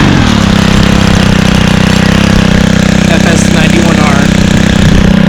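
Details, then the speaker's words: Stihl 27cc two-stroke trimmer (same engine as FS38/46/55) started on second pull: crisp buzz settling into a steady, even high rev with no stumbling or misfire, like an ATV; normal revving. "Sounds like an ATV actually when it's being revved."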